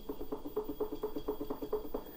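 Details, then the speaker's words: Inmotion V13 electric unicycle suspension: after backing off the pivot adjuster three turns, rocking the wheel gives hollow clunks about four per second, the same knock felt on launch; loose play from the adjuster, possibly loosened at the factory or in shipping. "that's what I was kind of hearing when I would uh launch on the wheel it would have this this not a good sound to it"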